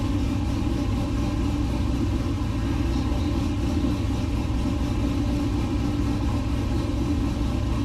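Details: LS-swapped 1969 Chevrolet C50 farm truck, just after intake install and power steering rebuild with some remaining fluid leak; even steady V8 idle rumble with smooth beat, no misses or knocks; normal idle.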